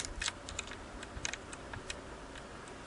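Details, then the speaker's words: Singer 327K sewing machine, bobbin case to cushioning spring thread clearance adjusted to minimum (spec .016–.020 in), thread slipping through: light, irregular metallic ticks as the bobbin case is rocked by hand. Normal minimal clearance click. "But it's a minimum amount, and the thread is going through there. I'll test it one last time, but the thread is slipping right through, so I think that's going to be good."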